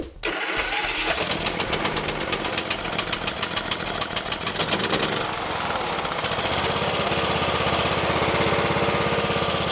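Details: Troy-Bilt XP Horse lawn tractor with swapped engine after cleaning a sticking part inside the carburetor that was limiting fuel: catches on the pull and settles into a quick, fairly even beat without stumbling, running far better than before; normal running.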